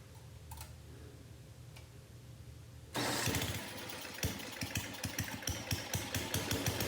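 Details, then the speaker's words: 1982 Craftsman 4 HP snow blower with Tecumseh engine, after fuel line replacement and sitting for years: fires suddenly and settles into a steady, even single-cylinder putter with no misses; runs smoothly, like new. "I'm impressed this thing is running just like new"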